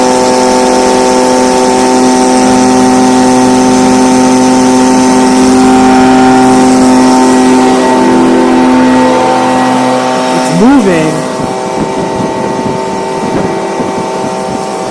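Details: Stihl BG55 blower, a no-start with a torn carb diaphragm, now on a new replacement carburetor (part C1Q-S68G) after adjustment for power: a steady high buzzing wail is held at full revs, then drops off cleanly as the engine runs strong.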